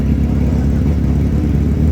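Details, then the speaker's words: Drag bike's first pass in three weeks, unsure of tune-up, came out hot, on a 75-degree evening: short full-bodied engine roar with no popping, stumbling or breakups; sounded clean. "Sounded clean."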